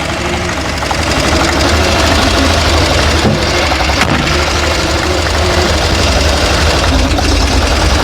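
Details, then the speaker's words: 1962 Chevrolet Corvair flat-six, first start after carburetor rebuild, no fluid yet: runs rough with an uneven knock about three per second over idle on one side; abnormal running noise, cause not pinned down. "something ain't right on that side boy"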